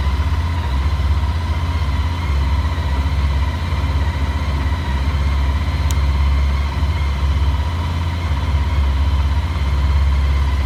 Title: ST1300 KNOCKING NOISE PART 2